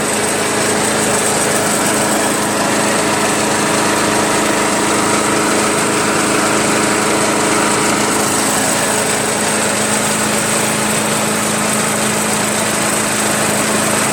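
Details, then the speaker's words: Stihl SH 85 leaf blower, restarted to confirm it works, holds a steady, buzzy idle with an even beat and no stumbles; normal idle. "I am over the moon guys there's no way I thought that thing would start I'm amazed I'm really amazed that that thing worked"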